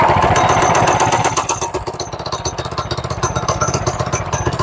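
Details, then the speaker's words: Restored 1970 MTD minibike, single-cylinder engine, first ride after restoration, cold on full choke: fires first time, then an even putter of about four beats a second. Normal start and idle. "That's one thing you gotta love about a brand new motor. They start the first time."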